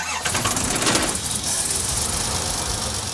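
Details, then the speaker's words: Nissan GQ Patrol 4WD after mid-trip trail maintenance: cranks briefly, catches almost instantly and settles into a smooth, even idle, revving cleanly; a healthy start, better than ever before. "Starting, stopping, revving. Yep. Smooth. It's ready to wheel."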